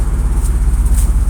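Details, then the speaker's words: 2001 Dodge Ram gas truck at warm-up idle, recorded beside the engine: fast, even puffing pulses with a sharp ticking edge on each firing from an exhaust manifold leak; a rear exhaust leak is also present, and the truck has been idling rough. "good on this side you can hear the manifold we got exhausts coming out the tailpipes"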